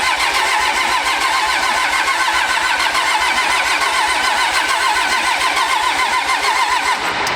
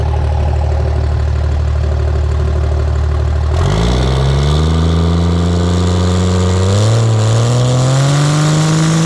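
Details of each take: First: Pro street truck on first start after a Motec M141 install, rail pressure sensor not yet working: steady starter cranking at about three and a half beats a second for over seven seconds, never catching; no fuel supply pressure. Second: Pro street truck on a freshly installed Motec M141 during first start-up tuning, fuel pressure sorted: steady even idle then clean smooth free revs with no misses or knocks; normal idle and free revving.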